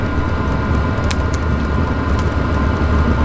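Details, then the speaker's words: Cheap Chinese diesel heater on initial startup heating a hot tent while camping: loud, steady low roar winding up without surging, knocking or rattling; normal, quiets down once it really gets going. "i think it's really winding up now hear that it's not always that loud once it really gets going kind of quiets down initial start up"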